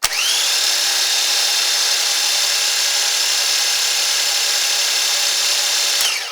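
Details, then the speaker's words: Starter bench draw test with clamp meter: steady high-pitched electric whir at even speed as the starter spins; meter reads about 85 amps on the 400 A scale. "And this guy's telling me I have 85 amps, but I'm on the 400 scale."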